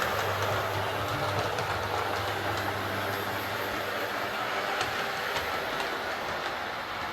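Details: Hornby Class 142 Pacer two-car diesel railcar after fixing noise and wheel wobble (loose tire): smooth even rumble with steady rail clicks, no grinding or chattering; runs clean and healthy.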